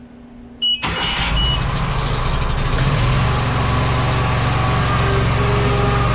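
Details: Walker mower deck after fitting new OEM blades and hubs and a used rebuilt gearbox: engine starts, then a steady metallic rotating clatter at about four beats a second rides over the drone; still the same noise, source not found.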